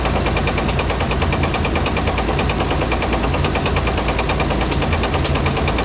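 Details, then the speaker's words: Dodge M37 military truck engine, revived after sitting about 14–15 years, at idle with a sharp, heavy metallic knock about three per second; owner suspects a rod knock and thinks the engine needs a rebuild rather than thicker oil or a rod bearing. "this thing probably needs to be rebuilt now you can run thicker oil in there you can change out the rod bearing but long term that's not going to fix the issue"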